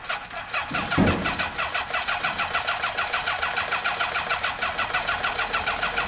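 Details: Kawasaki ZL600 with new coils, tuned carbs and valves done, with its exhaust pipes not yet connected and smoking: it cranks and catches, then pulses lumpily at about three beats a second with uneven firing. It runs rough; a firing-order issue was noted.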